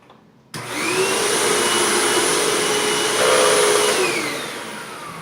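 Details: Hoover Tempo Widepath upright vacuum with a wood brushroll, on the medium setting over a bare floor: the motor spins up to a steady, even whine with a smooth airflow rush and no slapping or ticking from the brushroll; normal running.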